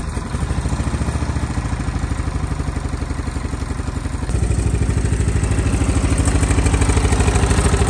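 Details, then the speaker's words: Stratos race kart with Honda GX270 single-cylinder, first run after getting it going with fresh fuel and tapping the carburettor float: even thumping, then steps up in speed and holds a clean regular beat; normal running. "not too bad 30 minutes and I got this thing running"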